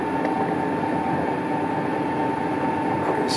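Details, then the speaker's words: Colchester Triumph 2000 lathe turning a long paper-bag-machine roller shaft without a fixed steady, 0.005 in skim: steady piercing ringing tone over cutting noise; chatter from shaft flex, worsening even at tiny cut depths. "so hard to get rid of it even at the tiniest depths of car it just follows the existing vibration and if anything just gets worse"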